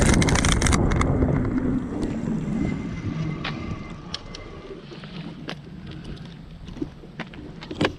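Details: Aipas A2 Elite e-bike riding over bumps: sharp loose metallic clanks with each bump over wind and tyre noise; owner suspects blown front suspension fork leaking grease, metal-on-metal, no cushion; wheel, rotor, stem already tightened.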